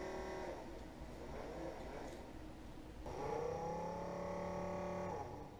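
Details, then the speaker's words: Coleman 12 V cooler model 5640 after its fan motor was replaced with a Mabuchi RS-365SH. It runs with a soft, even whir and steady hum, a little louder than before, possibly because the new motor is stronger. Normal fan running. "Maybe it's just louder because the motor's stronger than the old one was and I got used to it not making any noise."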